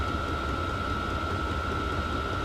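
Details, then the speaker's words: 8kW Chinese diesel caravan heater in a van in freezing Minnesota, first test run the day after install, pump running at max output; van went from 33 to about 55 in five minutes; smooth even fan rush with constant high whine, no surges, normal full-output running. "pumps running it's at max uh it took about five minutes to go from 33 to like 55 in here"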